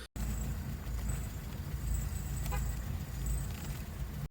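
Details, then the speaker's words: 2005 Acura TSX idling: faint high cricket-like chirps from the belt side, worse on initial acceleration, when steering while stopped, and with AC on; owner suspects the serpentine belt or a pulley bearing. "This is my 2005 Acura TSX, and I have this noise coming from the belt side of the engine. It occurs on initial acceleration and when I turn the steering wheel while I'm stopped. It's like a chirping or a cricket noise."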